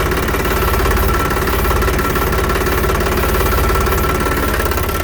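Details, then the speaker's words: Tractor hydraulic power steering at extreme right lock: light steady whine over an even idle as oil bypasses through the relief valve; normal, nothing to worry about. "है कि जब extreme right rating भरपूर होता है वह आवाज आती यह जो निकले अपने यहां से बॉईल बाईपास होने लगता है"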